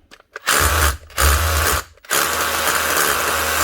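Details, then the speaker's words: Power tool after reassembly with loose, burnt spade connectors found (common fault, needing tightening or solder); three clean bursts of steady high motor whir spinning up and stopping crisply; runs normally. "Look at that. Common problem of these here. Burns up them wee connectors, burns up the spade connectors, they come loose."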